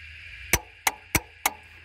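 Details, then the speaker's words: NC Fairlane / EB Falcon A/C: four sharp metallic clacks about a third of a second apart as power is applied to the compressor clutch; the clutch pulls in properly. "Right. So I know the clutch is working."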